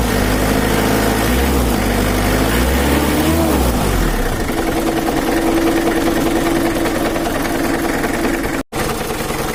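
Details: Mitsubishi Kuda 4D56 diesel idling after valve cover refit, injection pump not yet adjusted; dull knock about three a second over the clatter. Complaint was rough, limping running with low power and a bad oil leak; mechanic suspects a loose, wobbling crankshaft pulley.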